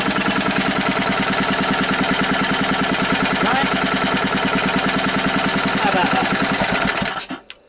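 Steady, even single-cylinder chuffing at about two hundred beats a minute, then it cuts off cleanly; a healthy running engine.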